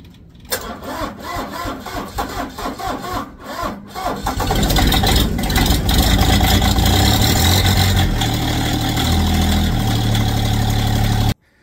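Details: Diesel tractor cold start, glow plugs pulsed: about 3.5 s of cranking at roughly four pulses a second, then it catches cleanly and settles into a steady, even run. Normal cold start.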